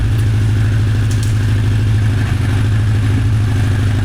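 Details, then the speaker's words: 1985 Honda CB1100F four stored about 20 years, after carb clean and fresh fuel, air filter in: even, steady idle burble with no knocks or misses. "I think I'm going to close the fuel and let it run a little bit without it. Just also let it cool down."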